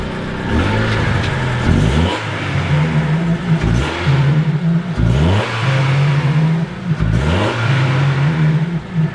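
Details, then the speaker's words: Smoky car, timing set by ear and near maxed, gives a hollow bouncy rattle over the rising note under repeated revving, like bouncy balls in a plastic drum; something loose inside the engine, source unconfirmed. "And for some reason the engine makes this weird sort of like, it sounds like bouncy balls in a big plastic drum."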